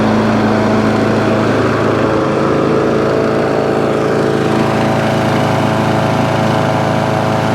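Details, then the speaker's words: Free scrap lawn mower being run up, smoke now cleared, brand new air filter fitted: fairly steady speed but uneven, slightly lumpy beat, sounding a bit dopey; cause unclear. "so there you go the spokes now all gone smoke's now all gone but it does sound a bit dopey it does sound a little bit dopey"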